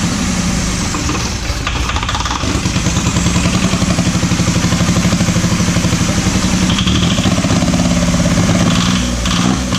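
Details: Diesel truck started after sitting five years runs away, hammering hard and climbing to a high, uncontrolled speed without settling.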